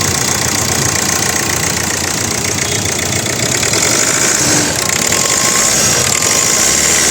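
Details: 2013 Hyundai Verna Fluidic diesel, clean engine bay with Amaron battery, started and idling with hood open: loud, steady, even diesel clatter with consistent rhythm, no knocking or hunting; healthy normal idle.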